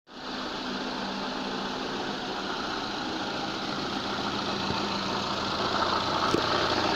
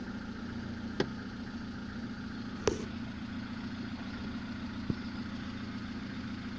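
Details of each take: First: Lada gearbox at steady idle: a faint, regular knock of about three or four beats a second while the input shaft turns; the noise disappears when the clutch is pressed. Worn input shaft bearing. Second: Lada gearbox after replacing input shaft bearings, which had knocked while the input shaft turned and went quiet with the clutch pressed: even, quiet idle hum with a couple of stray clicks, no repeating knock, same sound with clutch pressed; normal gearbox idle.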